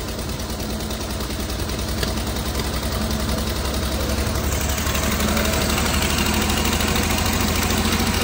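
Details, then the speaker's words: Fiat 126p two-cylinder engine after valve adjustment, idling; rough, loping idle with uneven tapping around 160 knocks a minute, something knocking; owner suspects exhaust leak at a broken, loose exhaust bolt; smoking seen. "chodzi ale dziwno chodzi ale troszkę dziwnie Coś puka coś stuka"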